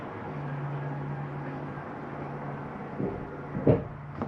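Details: 2023 Jayco Eagle HT 280RSOK trailer, Ridge stabilizing jacks retracting: low steady motor hum for a couple of seconds, then a few clunks as the jacks seat; normal operation.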